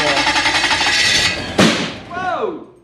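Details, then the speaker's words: Toyota 1UZ-FE V8 in a sterndrive boat, first run-up after repairs and checking the plug leads: the engine revs hard, then a single sharp loud backfire bang comes out the back and the revs die away; cause unconfirmed. "I turned it off. That wasn't a backfire. Wow. That backfire. Yeah, that was a backfire."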